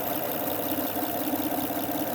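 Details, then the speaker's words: 2005-2010 Honda Odyssey 3.5 L, almost 250,000 miles, engine cover off, after new timing belt tensioner fixed a loud ticking: smooth, even idle, steady hum, only faint injector noise; running healthy. "Car runs beautiful. It has almost 250,000 miles, or about I think 400,000 kilometers on it, and the engine runs beautiful without the cover on."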